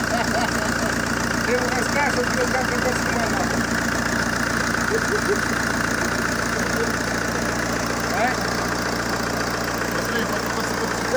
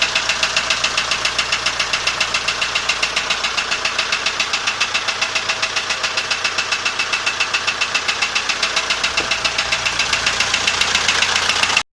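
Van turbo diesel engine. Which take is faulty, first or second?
second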